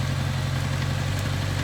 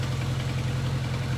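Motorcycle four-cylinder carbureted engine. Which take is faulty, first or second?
first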